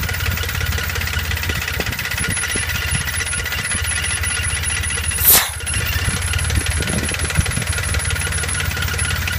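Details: Dauntless V6 at steady idle, fast even patter with faint hiss; owner suspects internal vacuum leak, feeling suction at the driver's-side air cleaner inlet pipe with the PCV valve disconnected from the carb; unconfirmed.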